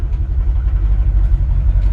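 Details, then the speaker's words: 1964 Chevrolet C10 pickup, V8 with 3-speed automatic, manual steering and brakes, driving at low speed: deep, even, healthy V8 exhaust rumble; normal sound. "even let my wife drive great sounding exhaust"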